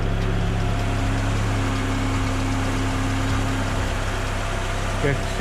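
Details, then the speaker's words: 1987 Honda Prelude Si just after a cold air intake install, with the stock air box, some vacuum lines and the charcoal canister removed: steady, even idle with a smooth low drone, no knocks, misses or hunting; running normally. "Okay, see, it started and it's running pretty smooth."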